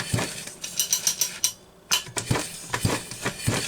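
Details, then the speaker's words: Homelite Super XL Automatic chainsaw, apparently a 1975 model, pulled slowly on the recoil and rough at TDC: irregular metallic clinks and rasping grind, later traced to a broken crankshaft roller bearing cage. "I mean, it's starting to get there, but something's grinding. Can you hear that?"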